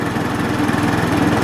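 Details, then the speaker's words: Linhai Aeolus 260 scooter, a previous no-start, now running after starter-system troubleshooting and parts replacement, started with starting fluid and gas and left idling only. It settles into an even, steady single-cylinder putter with no stumbles or knocks: normal idle. "holy moly listen to that wonder if I do anything other than I got no tax so it doesn't matter I do anything other than idle"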